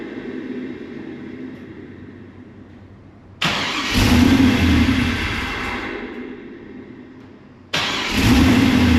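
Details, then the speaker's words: WS6 Trans Am with a new Magnaflow catback and a new tune: catches with a loud rushing intake note, runs about 8–9 seconds, fades and dies, then restarts for about 2 seconds at a time; cause unknown. "Like when it sets for a while, it starts and runs for like 8-9 seconds, and then it dies. And then it's like 2 seconds at a time after that."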